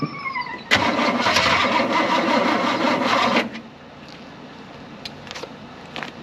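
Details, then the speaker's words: 1962 Ford Falcon that sat over 40 years, fuel poured in to help starting: starter churns about three seconds at a sluggish roughly four pulses per second without catching; slow cranking, owner blames a junk battery. "That battery is a piece of junk."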